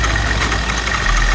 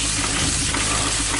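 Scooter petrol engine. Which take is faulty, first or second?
second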